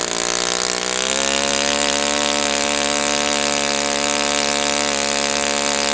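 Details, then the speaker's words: Brand-new Saito FA-100T twin model engine on test stand during break-in run, choke engaged beforehand: steady, even buzz at constant speed, no misfire or surging; running perfectly, normal healthy run. "I'm going to stop the run there just because it's running perfectly."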